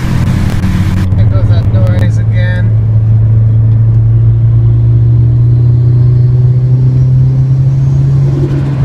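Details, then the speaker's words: 2006 Nissan Sentra SE-R Spec V, built turbo engine (GT35R, e85 tune, C1 cams), freshly rebuilt: heavy drone with uneven, lumpy pulsing; tuner suspected cam timing, and the cam phaser O-rings were found failed under the top timing cover. "He said it was most likely timing related, something with cams, something of that sort."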